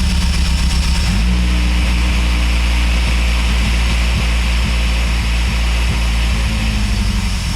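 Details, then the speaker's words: Acura RSX tuned for RDX injectors, running on smaller stock injectors: catches after a second, then lumpy uneven pulses about four per second as the ECU adds fuel to compensate; rough running from undersized injectors. "so you can kind of even hear that the computer was trying to like compensate by adding more fuel into the smaller injectors to try to keep it to where the car was tuned with the RDX ones"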